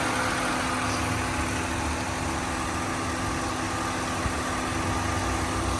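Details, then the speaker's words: 2001 Nissan Maxima GLE, 132,000 miles, timing-chain engine, heard with hood open: steady even idle, smooth low hum, no knocks, ticks or misses; runs and sounds right, healthy. "You can tell, you know how it should sound, you know that this is absolutely right. Runs great, sounds great, it drives fantastic."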